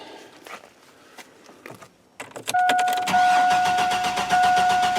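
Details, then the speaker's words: GM Astro van with the 4.3L engine and an intermittent no-start; fuel pump pressure tested fine and spark appears present. Starter spins evenly for several seconds but the engine never fires. Crank, no start. "you hear that she's cranking cranking she's taking nothing"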